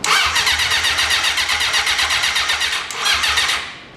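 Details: 1980 Honda CB750, first start attempts after sitting 35 years: steady starter cranking at about four beats a second, never firing; no start, possibly flooded, with the battery needing a charge and the carburettors suspected.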